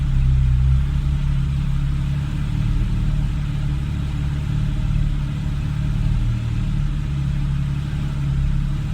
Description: 2013 Porsche 991 c4s rough idle and hesitation. I only revved it one time the rest was all the engine idelling on its own